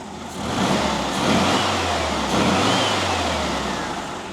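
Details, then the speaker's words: WWII Volkswagen Schwimmwagen engine, previously troublesome, revs up and settles cleanly with no stumbles after the idle mixture screw was turned in until it struggled, then backed out until smooth. "okay so it's starting the struggle and then adjust it out till it Smooths out and that's it that's it that's how you set the setting the idle"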